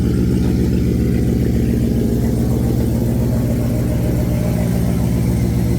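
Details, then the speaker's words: 250,000-mile C6 Corvette V8 from auction with catalytic converters cut off; deep, loud, booming idle with heavy steady rumble and nothing to damp it, sounds awful: loud exhaust drone from removed catalytic converters. "Oh, it sounds awful. Oh, Rich, what did I do? Oh, the car cut it."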